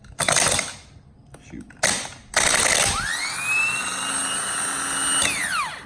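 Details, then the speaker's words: Removed 2003 Chevy Silverado starter, brand new, bench-tested by jumping battery positive to the solenoid terminals with a screwdriver: sparky snaps, solenoid clacks, motor whirs to a steady whine then spins down; normal starter engagement. "so as you can see this starter and starter motor is good"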